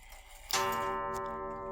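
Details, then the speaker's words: 1890s Junghans wall clock with standard Junghans Freischwinger movement, restored with new mainsprings and bushings, hammer wire bent closer to the gong: one clean strike, then long pure ringing tone fading evenly; strike working properly. "The chime sounds good. It actually has a beautiful gong on it."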